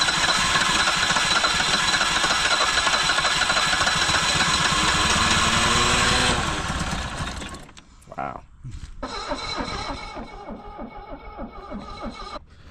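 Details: 1974 BMW 2002 after sitting over 30 years, running on 30-year-old gas: ragged uneven firing at high unsteady speed that stumbles and dies after a few seconds; old fuel suspected, to be replaced.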